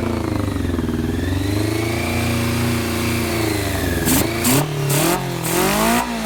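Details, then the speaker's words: 1990 Honda CBR600F inline-four, just revived, carb leaking fuel, started with starter fluid, choke now almost fully off: fast, uneven idle surging and dipping instead of settling; owner suspects an air leak. "I got the choke pretty much all the way off, but I'm still having that issue. I mean, it sounds like an air leak cuz I just"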